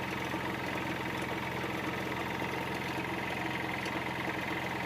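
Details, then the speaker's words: Hyundai Xcent diesel, engine replaced after five rebuilds, at idle: steady run with a hard, uneven clatter; injector back-leakage test shows excessive leak-back, worst on cylinder 2, less on 1, least on 3, blamed for the knocking; injectors to be bench tested. "ये जो back leakage गाड़ी के अंदर बढ़ती है ना ये बढ़ती है। गाड़ी नॉकिंग करती है ना उसकी वजह से बढ़ती है बैक लीकेज।"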